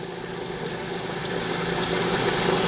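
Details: Ice machine starting up, its pump filling the reservoir through a 1/4-inch feed line: steady hum with a faint rising tone, no rattles or knocks. Normal pump running.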